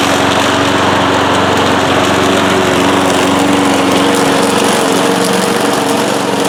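Steady, even engine drone at constant speed with no surging, knocking or misfires; this old mower runs healthy.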